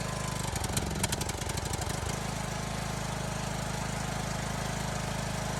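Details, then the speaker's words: Briggs & Stratton engine on an L108 mower, smoking after a recent fuel solenoid change; gas had filled the crankcase. The engine rises and falls for two seconds, then steadies: surging from fuel-diluted oil. "but now the thing's starting to surge i'm not sure if it's the fuel bowl again you know the solenoid again or if it is something else because as you can see here it's smoking and surging"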